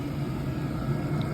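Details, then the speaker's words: DWALE Chinese diesel heater at full output, blowing hot air through the vent hose: steady, even blower rush with a constant low hum, no pump clicks or surging; normal running. "Nice hot air coming out of this thing. I'm going to let it run for a bit."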